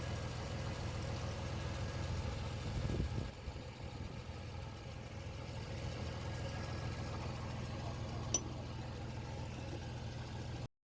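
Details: Chevy S10 idling after a DIY quick fix of an exhaust leak that had been loud under acceleration: soft, steady petrol idle with no puffing or hiss. The exhaust sounds sealed.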